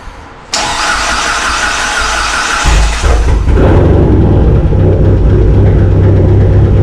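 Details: Cheap SRT-4 being built as a big-turbo car, first start after turbo pre-oiling with coil and injectors unplugged; about two seconds of steady cranking, then it fires and settles into a strong, even idle, a clean first start.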